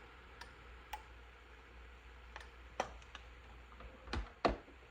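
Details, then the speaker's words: Four-pin automotive relay tested on a bench battery: sharp, light clicks arrive irregularly over a quiet hum as the contacts energize and de-energize, opening and closing cleanly; a good relay, normal clicking. "all right that's a good relay you can hear the contacts energizing and be energizing opening and closing"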